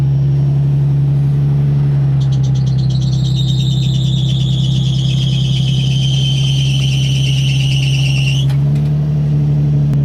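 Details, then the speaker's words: 2004 Nissan 350Z idling at startup on a not very cold day; high chirping squeal for several seconds then stops; new belts had loosened as tensioners aren't self-adjusting, fixed by tightening tensioners; worse and longer when cold. "not super cold out I noticed that it does it a lot longer when it's cold but uh yeah I'm pretty sure that's just the belts"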